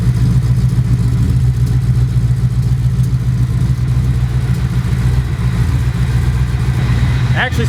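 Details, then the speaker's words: V8 in the "goose" idling right after first start-up on a new homemade stainless X-pipe exhaust; deep, steady, even rumble, fairly loud, with a lighter whine over it, possibly water pump or alternator; normal idle. "like you can hear what sounds like a water pump maybe over the exhaust or maybe it's the alternator whatever it is it's lighter than the exhaust is"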